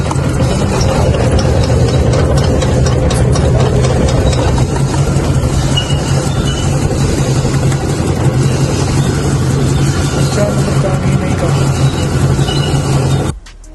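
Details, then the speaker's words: Toyota 1RZ petrol engine at idle: uneven lumpy idle with irregular stumble every few firings; cylinder 4 dead despite spark and new plugs, caused by a cracked cylinder 4 valve, also raising fuel consumption. "यह चार number का एक वाल टूट गया जिसकी वजह से हवा ले रही थी गाड़ी और चार नंबर प्लग काम नहीं कर रहा था और इस वजह से गाड़ी पेट्रोल भी ज्यादा खा रही है मिसिंग भी कर है"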